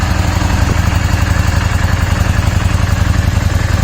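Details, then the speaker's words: Yamaha Dragstar cruiser on its first run in about 14 months, smoking from old residue or penetrating oil: even, steady low thump at idle with no knocks or rattles; engine quite quiet and healthy. "now this is first run in over a year in well it's got to be close to 14 months now it's gonna be smoky"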